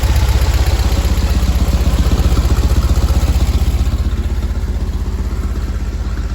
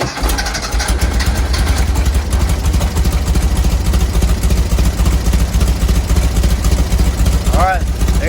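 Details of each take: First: 1970 VW bus flat-four with dual 34 carbs, after the idle set screws were adjusted so both carbs read the first line on a newly acquired sync gauge: steady, even low thump with clean, regular firing. Carbs synced; idle sounds good. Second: 1970 VW bus with dual 34 carbs and a new CSP bell crank linkage, first start before warm-up with mixture screws set two turns out: lumpy, uneven idle with an irregular chuffing rhythm; carbs not yet synchronized and mixture screws probably need fine-tuning.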